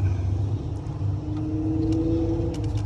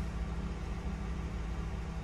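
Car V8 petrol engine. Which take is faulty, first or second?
first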